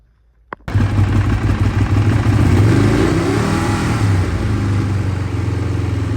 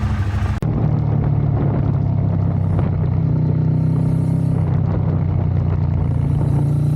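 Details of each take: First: Ducati 848 at fixed throttle: engine holds fast idle but revs flick up and down, worsening the more it's ridden, with overfueling and wet plug; faulty throttle position sensor, replaced by the shop. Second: Ducati 848 that previously misfired and lost power, after the shop replaced the throttle position sensor. Revs climb and settle evenly with no stumbling or hesitation. It now runs normally, and the TPS is confirmed as the fix.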